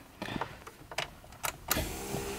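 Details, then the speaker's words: 1985 BMW E30 with 2.5L M50NV turbo (Holset HX35, Megasquirt 2, 750cc injectors) at key-on: a few sharp relay clicks, then a steady low electric whirr as the fuel pumps prime; normal. "can hear the fuel pumps kick on the mega squ connects"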